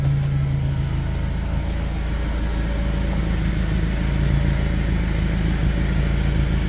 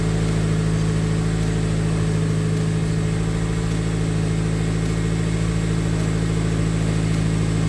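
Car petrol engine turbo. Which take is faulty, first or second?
first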